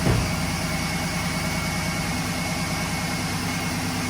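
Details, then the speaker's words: 2011 GMC Sierra V8, about 180–190,000 km, restart right after replacing spark plugs (NGK) and wires: cranks, catches, idle still faintly uneven and sounds the same; rough idle persists, owner suspects fuel system, maybe injectors. "Let's see how it starts. Now it still sounds the same."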